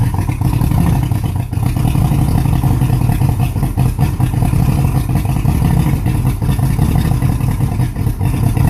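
Low, uneven idle with a lumpy, stumbling beat and no steady rhythm; this outboard is idling rough, cause not yet known.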